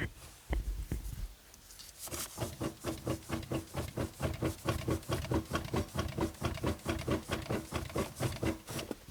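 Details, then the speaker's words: Second-gen Dodge Ram, parked, wheel worked back and forth: repeated sharp clunks about twice a second. The front end is worn and the hubs are shot after a few days of street driving. "can you can you hear the clunking probably see the wheels tires rather not move so front end is wasted the front end needs to be gone through the hubs are shot"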